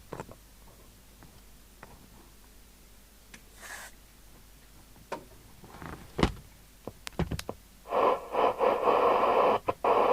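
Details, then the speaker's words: Amstrad CB900 UK FM CB radio (Cybernet chassis) with a standard Cybernet mic, before alignment: irregular sharp crackles and pops over hiss, then rough bursts of noise. The crackly audio is suspected to be dirt in the controls, to be cleaned with spray. "Standard Cybernet mic. That's a bit crackly, isn't it, before we start? Let's just deal with that."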